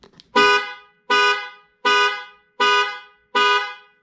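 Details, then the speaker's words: 2018 Ford F-150 2.7 EcoBoost after its weak, Prius-like horn was replaced, sounded through the panic alarm: five loud, full two-tone blasts with no thin note. The horn is now fixed and healthy. "you guys heard it right there that horn is officially fixed and we have no more prius horn"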